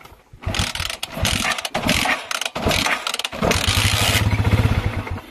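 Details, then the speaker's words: Motorcycle that stalls and starts hard: engine catches and revs in ragged, uneven bursts, then sags and stumbles, acting fuel-starved at high RPM; the weak stator primary (source) coil starves the ignition and needs replacing. "Mahina na siya kaya ayun nabibilan na parang nagkukulang ng gas yung motor mo pero ang problema pala yung kuryente nagkukulang yung kuryente niya sa High RPM"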